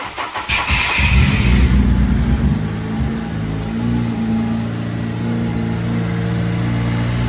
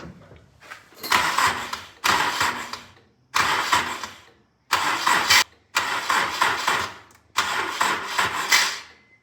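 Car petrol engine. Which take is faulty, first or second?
second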